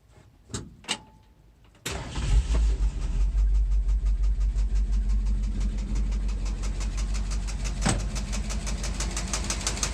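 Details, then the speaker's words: 1968 Ford 429 V8 in a 1961 Ford F100 unibody, after replacing leaking timing chain cover gasket: sharp, even tick about three times a second over idle after start; long timing cover bolt striking fuel pump arm. "so this is to try and diagnose a knocking sound I replace the timing cover I had a leak so this is what it sounds like"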